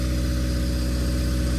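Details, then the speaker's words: Built Honda D16Y8 in an EG Civic, first run after rebuild with 10W-40 and ACL bearings (clearance unchecked), running without coolant: deep steady idle, even low drone, no bottom-end knock, unlike the knocking before the rebuild. "But guys, it sounds great as it was knocking before."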